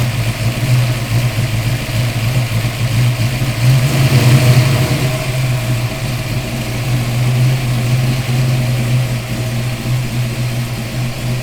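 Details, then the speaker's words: Fox Body Mustang with a forged 348 cubic-inch small-block Ford stroker built for boost, first fire after the engine swap: deep, even V8 rumble, one brief throttle blip, then settles back; runs clean and good before break-in. "So it sounds good, it runs good."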